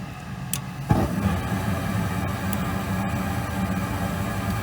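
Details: Goodman gas furnace firing after its gas valve was replaced, with manifold pressure under test near 3.5; a quiet start, then a soft click and a steady low rumble of burner and blower holding even, running normally.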